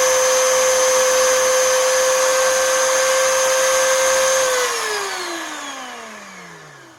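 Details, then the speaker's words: 20-year-old Oreck XL2800 vacuum motor after bearing replacement and carbon brush seating with a seating stone: high steady whine at much higher speed than before, then pitch slides smoothly down as it coasts to a stop. "okay so did you hear how much higher the motor rpm went up when I got this seating stone here to do its job and to properly seat everything that motor speed shot up"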